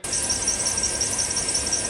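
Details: Shrill, steady high-pitched squeal with a faint chirping flutter from the accessory drive belt.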